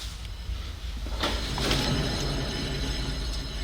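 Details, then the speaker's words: 2013 Toyota Highlander 4WD Limited, 171,000 miles, wheel spun by hand with microphone close: low, rough grinding hum from a worn driver-side rear wheel bearing, heard as a humming noise while driving. Bearing needs replacement. "we got the winner it's a driver side wheel bearing let me bring the camcorder closer so you can hear it too so listen from the close the microphones are closed hopefully you will hear that grinding humming sound"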